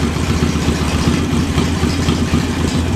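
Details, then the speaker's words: JS flatside carburetor on a small engine, idle mixture screw fully closed: loping, stumbling, uneven idle from an over-rich setting that smooths out once the screw is opened about 1/8 to 1/4 turn. "closed. Idle's rough."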